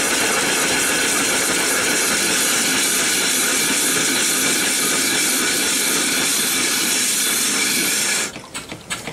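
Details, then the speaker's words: Erie steam engine running on boiler steam after the water was drained from it: a steady rush of steam with a soft, even chuff and no knocks or clanks until the valve closes; it runs well. "it runs good there"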